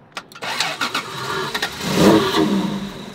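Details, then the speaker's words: 1993 Toyota Supra, sold as runs and drives but neglected: engine catches with a few uneven firing pulses, flares briefly, then sags and dies; electrical system lacks a proper ground, and wiggling the ground restored spark. "the electrical system is very unhappy happy there's definitely not proper ground here okay good um there's definitely not proper uh grounding"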